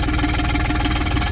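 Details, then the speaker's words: 2005 John Deere Gator HPX with a Yanmar diesel that had only started in warm weather, now idling after new glow plugs and a new glow plug controller. It chugs at an even, steady idle with regular firing pulses and no misses or knocks: a healthy normal idle. "they go out and it fires so we'll turn it fires nice okay folks the Chug lug"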